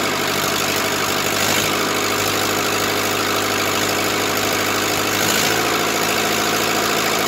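Diesel clattering at a steady, even idle with no misses or knocks; the engine is running healthily.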